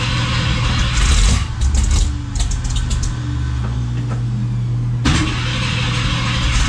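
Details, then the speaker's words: First start of a Summit 302 crate V8 (built by ATK) in a 1967 Mustang, car still on lift: catches and runs rough with uneven revs, drops away and needs blipping, won't hold idle; antifreeze blowing out, lots of smoke. "so sounds good i don't know what the hell he's doing i can't uh it's not idling that was idle"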